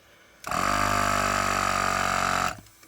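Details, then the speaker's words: Filter pressure test with air at about 3 atmospheres: a steady whistling hiss for about two seconds. The leak is suspected at a poorly sealed threaded connection with a mismatched thread pitch; not confirmed. "Опа Ага пошло давление слышно потрава идёт но это вот скорее всего через вот это вот"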